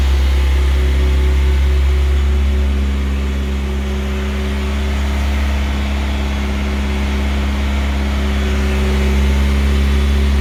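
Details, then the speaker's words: Newly rebuilt Audi A4 B5 1.8T turbo engine (GT2860RS) on its first 20-minute run-in cycle at 2000 rpm with 10W40 oil. A deep, even note at fast idle with a smooth, steady pulse and no knocks or ticks; it started fine and runs healthy. "Igatahes võime rahul olla. Mootor läks ilusti käima."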